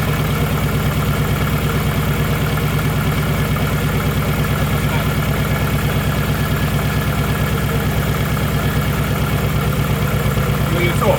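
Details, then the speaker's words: Nissan Pulsar GTiR after water pump replacement, coolant refilled: engine idles really rough, loping unevenly with an irregular low thump about three times a second; cause unknown, owner guesses more water in it. "And it sounds rough. Sounds really rough. That sounds really rough."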